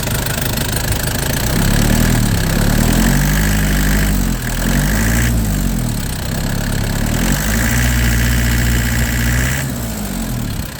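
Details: Nissan Big M BD25 diesel after repair, with a new radiator and 8 L coolant, bleeding air from the cooling system during gentle run-in. It picks up smoothly on light blips and drops back to an even idle; healthy.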